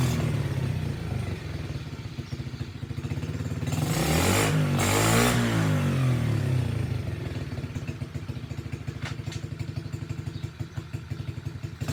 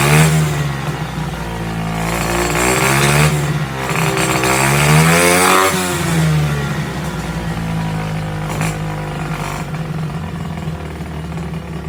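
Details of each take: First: SSR pit bike started with the choke on and a like-new air filter on its carburetor: small single revs up briskly, then settles to an even, steady idle; it runs fine, though the kill switch doesn't work. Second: SSR pit bike after rebuild with new air filter: small single revs and drops back unevenly, never settling to a clean idle; suspected wrong carburettor size or jetting, or too little intake restriction. Rough running.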